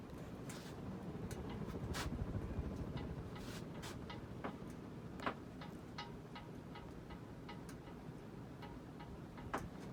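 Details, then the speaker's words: Hampton Bay Cameron II Plus ceiling fan, built 5/1999, running on high with slight wobble after being taken down with blades on: faint irregular light ticks, a couple per second, over quiet hum, from a loose set screw. "it does have a slight wobble um this thing was taken down with the blades on so no surprise that noise is just a set screw and tightness"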